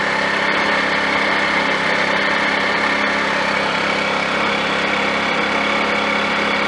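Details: Scooter being readied for the road, after a plug wire that was getting hot was switched: small engine buzzing at a steady, fairly high idle with a raspy exhaust, running without stumbling or cutting out.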